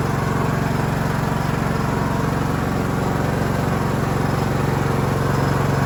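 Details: Cub Cadet LT1045 riding mower (276 hours) after repowering with a replacement engine, the original having a cracked block and seizing: single-cylinder thumping at a steady, even beat with no misses or knocks; runs clean and smooth.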